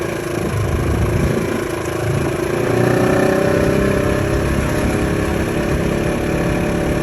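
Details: 2015 Polaris RZR XP4 1000: mid-pitched whine rising and fading with speed over the engine note, from the gearbox, transmission or clutch; exact part not pinned down.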